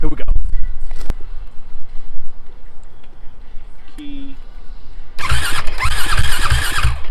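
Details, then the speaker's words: YFZ450/WR hybrid single-cylinder bike, first start after building a custom wiring harness, catches and runs with sharp, uneven pops every few tenths of a second; it sounds like backfiring, and the owner suspects a lean carburetor needing adjustment. "we're gonna have to do some adjustment to the carburetor sounds like it's backfiring a little bit so i'm gonna look up see if that means it's more lean"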